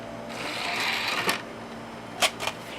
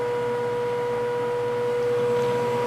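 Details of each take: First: Optical drive in a revived Pentium D PC spinning up a disc during startup: soft whir building, then crisp seek clicks; drive sounds healthy, normal spin-up. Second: Pentium D system booting with a Seagate ST3 2420A hard drive showing a SMART read error rate warning, CPU at 37 degrees: steady mid-pitched hum with a fainter higher tone, an unusually loud drive drone.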